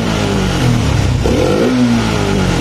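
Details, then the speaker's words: Honda Supra X 125 fuel-injected single after tune-up, fault codes cleared and ECU reset: picks up cleanly on a quick throttle blip and drops back smoothly, no hesitation or popping; normal throttle response. "Udah enak ya teman-teman nih."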